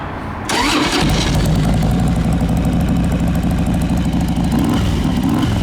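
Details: 2003 Harley-Davidson Road King, carbureted, choke on, gear-driven cams, timing cover inspected, fresh service: starts readily, lumpy V-twin idle with faint steady whine underneath from the gear drive; normal.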